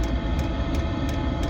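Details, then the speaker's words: Chinese diesel heater, rated 2 kW, tested after six months unused: steady low combustion rumble with a sharp fuel-pump tick about every 0.35 s; firing up and running normally. "oh I feel the warmth already yeah so that's kicking in beautifully fired up first time with this"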